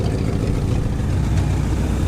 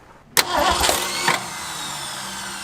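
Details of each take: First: Classic Ford Galaxie V8 parked five years, only new plugs and fuel pump, idling: low steady rumble with rough puffing edge; exhaust leak heard right under the passenger door. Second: Classic Ford Galaxie V8 parked five years, only new spark plugs and fuel pump: starter cranks in short bursts, catches at about five seconds, settles into steady even idle; normal start and idle.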